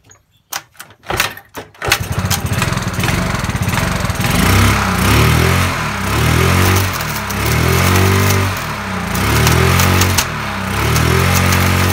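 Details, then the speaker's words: Yamaha Mio Sporty scooter started and revved in swells, dry rattly crackle over the engine at high rpm from worn rear CVT bearings and case bearing; fixed by replacing the damaged bearings. "seperti itu ada bunyi suara kretek-kretek seperti itu kita kretek-kretek kita belum tahu ya"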